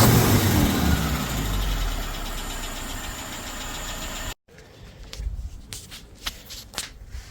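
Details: Suzuki SJ413 1.3L with a new Toyota 3K carburetor, timing reset with cylinder one aligned at the distributor: freshly started engine settles to an even, steady idle for a few seconds with no misses or knocks before cutting off.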